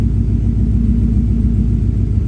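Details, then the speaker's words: 1965 V8 being diagnosed for a P0352 check engine light, still a cold start at idle: deep, even rumble with a steady beat and no missing or stumbling cylinder; sounds like all eight are firing, normal idle. "It's sounding pretty good. That's actually sounding nice and clean. It is technically still a cold start, but it 100% sounds like all 8 are firing though."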